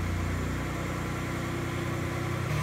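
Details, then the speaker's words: 1988 Acura Legend 2.7L V6, first start after a new timing belt, water pump, coolant hoses, thermostat and NGK plugs, with air still to bleed from the coolant: steady, even, smooth idle with no knocks or ticks. Normal idle. "et elle fonctionne parfaitement j'ai encore besoin de roter de l'air de l' homme du liquide de refroidissement ça sonne bien"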